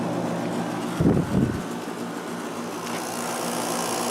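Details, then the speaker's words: 1996 Holmes 5200 BTU window air conditioner made by WCI, LG compressor, fan on low, output air about 40 degrees: even low hum with soft fan hiss, no rattle or knocking; compressor running quietly and normally. "And very quiet compressor."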